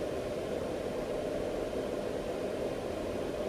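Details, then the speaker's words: Palstar PS-30M power supply after replacing its noisy cooling fan with a quieter one. Soft, steady airflow hiss with no whine, rattle or bearing grind. New fan runs quietly; no overheating after 6–7 weeks of use. "Well, here's the power supply with the new fan, and as you can hear, the new fan is a lot quieter."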